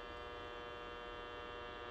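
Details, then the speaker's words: Optoma GT1080 Darbee DLP projector with lamp error; loud steady electrical hum with high buzzing edge and felt vibration from the colour wheel, which had lost its index mark and shown overheating; failing colour wheel. "oof that sounds bad yeah hear the color wheel that's bad"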